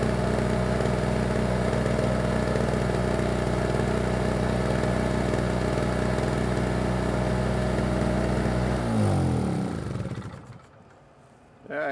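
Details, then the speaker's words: Small single-cylinder generator started with the engine switch on, a little choke and the fuel on: a steady, even beat with no misses or knocks, then a clean wind-down at shutdown. Normal running with no problems. "good yeah she runs real good yeah no problems with it either"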